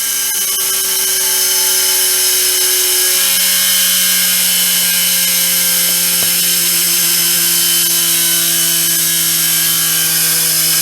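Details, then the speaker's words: Peleng 1240GS gyro-stabilized binoculars, brushed gyro motor switched off after running at 12 V: loud high whine sliding slowly down in pitch as rotor coasts, no grinding or knocking; normal spin-down. "So I'll let it spin down and put it back together."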